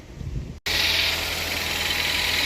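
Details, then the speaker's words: Car after replacing alternator and battery for a not-charging problem: quick catch after a brief crank without a jump, then steady even idle, no stumbling or squeal; normal start and idle. "all right so I start right up without a jump no problem"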